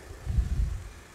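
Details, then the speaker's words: Mitsubishi Evo 6 after hydraulic lifter replacement, stock exhaust, heard under the bonnet at idle: quiet, even low rumble with no ticking or tapping from lifters or air con compressor; valvetrain now smooth and healthy. "I've just pulled over now to show you how quiet it is underneath. A million times better."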